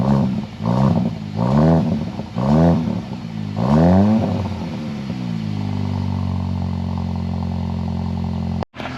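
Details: 2022 VW MK8 GTI, first start after installing ECS 4465030 non-valved catback exhaust: a few throaty revs, then a steady, even idle with no rattles or metallic contact; exhaust sounds healthy.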